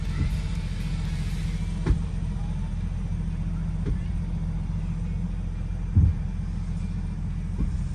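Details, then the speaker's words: Sharp clicks about every two seconds over steady road rumble while test driving a Jeep WJ Grand Cherokee after swapping the Dana 35 for a trussed Dana 44A rear axle with locker, front driveshaft removed, in two-wheel drive; cause unknown, locker to be tested. "That did not sound good. So since it was making that clicking, Chris is saying I might need to drive it more, but we're gonna test the locker and make sure it's working how it should."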